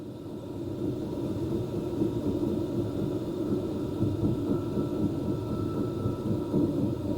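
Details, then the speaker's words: Vevor 8kW diesel heater model ZM8006 in heating mode: steady whooshing rumble with faint whine dropping lower as fan level is turned from 5 down to 1, RPM decreasing normally. "It's at the top right now at number 5, but I'll put it down to 1 and you'll hear the RPMs decrease."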